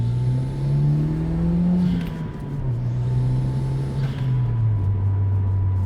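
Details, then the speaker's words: GT4 under full throttle, boost not passing 0.5, after about 10 minutes of driving: thin constant high whine over rising and falling engine note; owner suspects noisy fuel pump causing stutter, unconfirmed. "Oh, the fuel pump's getting noisy now. That's going to get I think when the fuel pump is at its noisiest, that's when it stutters."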